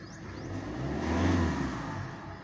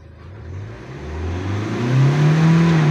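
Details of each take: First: 2016 Hyundai Accent CRDI diesel with check engine light, low power: revs rise briefly then sag back, flat and held down, reaching only 3,000 rpm. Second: 2016 Hyundai Accent CRDi diesel with crank-no-start and low-power complaint, after a filter-to-turbo line change: picks up cleanly when revved, reaching about 5,000 rpm, then drops to even idle; mass airflow sensor found faulty.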